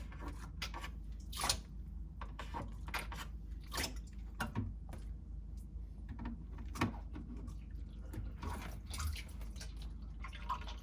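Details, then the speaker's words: Samsung RF26HFENDSR/AA refrigerator, fridge deactivated, iced-up evaporator/ventilation defrosted by pumping in warm water and sucking out cold: quiet irregular drips and trickling run to the bottom inside the cabinet; ice all melted, defrost drain clear. "You hear the sound? The water is already go through all the way to the bottom. So the ice is all melted inside."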